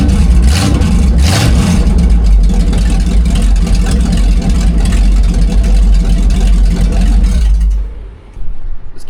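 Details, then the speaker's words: Big-block Mercury, factory exhaust section cut out before a DIY dual exhaust build, deep loud unmuffled rumble barking sharply on throttle blips, exhaust open straight off the headers. "With this big section of pipe out, you got to do the obligatory fire up open headers."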